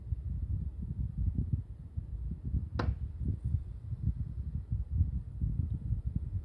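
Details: Mitsubishi MSZ-HR25VF new replacement indoor unit, second indoor unit on a multisplit system: one sharp isolated crack or pop over a quiet low hum. Knocks are quieter and rarer than on the replaced units but persist on both indoor units.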